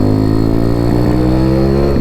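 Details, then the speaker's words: Honda C50 motorcycle fitted with Zongshen Z190 engine and custom exhaust loop, riding: steady buzz at part throttle with brief stumbles; part-throttle splutter, cause not found, considered minor, owner plans carb clean. "You hear it there then? You can just hear it part throttle. That's a minor problem though."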